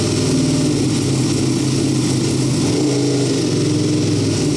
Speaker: She runs finally after 3 or 4 months. But there is smoke coming off the side. How awesome is that? That sounds wicked.